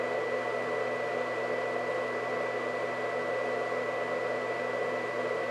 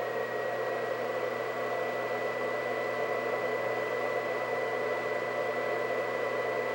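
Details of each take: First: White Xbox 360, believed Jasper revision, fans at max speed: loud steady whoosh with thin high whine on top; cooling fans simply very loud at full speed. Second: White Xbox 360 (believed Jasper) cooling fan at max speed: a loud, steady rushing blow with a constant high whistle.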